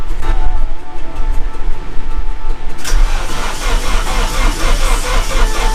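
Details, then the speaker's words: KA24DET after a rebuild, cranked with the fuel pump fuse and another fuse pulled to prime fresh oil through the turbo and lines: after a quiet stretch the starter turns it over steadily without firing, sounding weak; cause unknown, spark check next. "all right so it sounds pretty weak but um i'm gonna go ahead and call my brother out"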